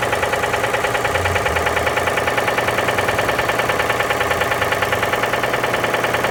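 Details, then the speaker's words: Ford Edge with a ruined engine, found out of timing: loud steady metal-on-metal knocking about two and a half per second at idle; severe internal knock, teardown recommended. "mas esse carro tinha um barulho, um ruído muito forte de metal, metal."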